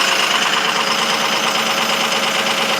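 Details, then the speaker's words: 2005 Ford 6.0 Powerstroke diesel, 17°F cold start, injectors 1 and 5 bad: dense idle clatter with an uneven, lumpy beat; misfire from the two faulty injectors. "she runs though she fired right up pretty good with two bad injectors"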